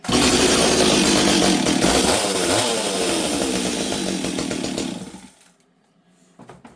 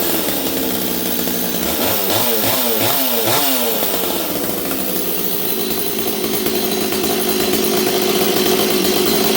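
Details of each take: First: Stihl 026 chainsaw that previously leaned out in a cut, fuel line cleared and new NGK spark plug fitted, before final tuning: strong steady high buzz at full throttle five seconds, clean four-stroking, then drops; normal high-speed running. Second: Stihl 026 chainsaw, rebuilt, already warm: revs unevenly and burbles instead of a clean scream. Carb deliberately set rich to four-stroke, after it previously leaned out badly when cutting.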